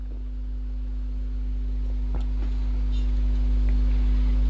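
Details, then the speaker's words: Hacker AL42 amplified speaker, playing after work: a constant low buzz at mains frequency, which the repairer suspects is mains hum picked up by unscreened, crossing signal wires. "I mean, you can hear the hum there, but that is literally just the fact that these wires are not screened."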